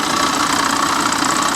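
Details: C4 Corvette, 5 L V8, salvage yard car with the AC belt and pulleys removed: fires right up on its own, then a fast even ticking over a steady idle; source unconfirmed, water pump or top end suspected.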